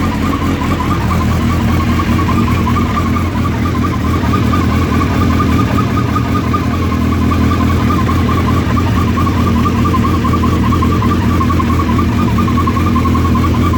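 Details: Suzuki Hayabusa idling from completely cold: constant mid-pitched whir over the exhaust note, same at any temperature per owner; cause not yet known.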